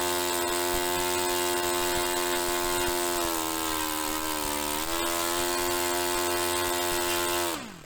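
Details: Restored Saito FA-45 Special on a test stand, 10% nitro fuel, original old glow plug, after carb tuning. A steady high-pitched drone holds speed evenly, with a brief smooth dip and recovery before shutoff; normal running.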